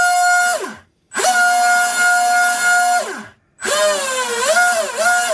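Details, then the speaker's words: Twin Leopard 2860 2730KV brushless motors on OSE 90A ESCs in an RC drag boat: clean high whine through three smooth spin-ups, no grinding or rattle, stuffing tubes cool. "I got 2730 kV motors. They're going to be spinning 30,000 RPM each on 3S."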